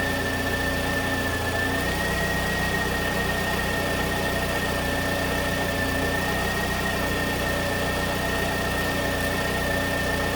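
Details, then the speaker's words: 2009 Pontiac Vibe at idle after the alternator was replaced for a failed rectifier diode, charging at 13.5 V into a low battery: a steady high whine at one pitch as the alternator works hard to recharge. Normal charging-load whine. "but you can hear the alternator whining because it's working hard to recover this poor battery"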